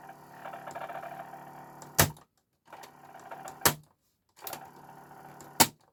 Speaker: Yeah, and I can hear the motor running, but there's nothing else happening with the deck. There's no movement of spools during play, rewind, or fast forward at all.